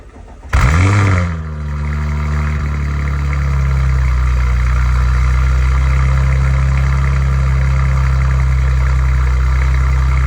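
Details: Audi RS5 B9 2.9T twin-turbo V6 on cold start: quick rev flare, then a deep idle with fast, light metallic top-end tapping, loudest in the first 3–10 seconds; attributed to rocker arm failure.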